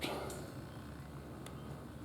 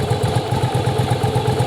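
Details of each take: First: Yamaha Virago V-twin, rebuilt cafe build, ignition coil wires deliberately swapped: starter spins it over with uneven chuffing that almost hits but never catches, because spark comes at the wrong time; cranking no-start. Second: Yamaha Virago V-twin running during strobe timing check: even, lumpy twin idle about eight pulses a second, no knocks or misses; firing and timing correct.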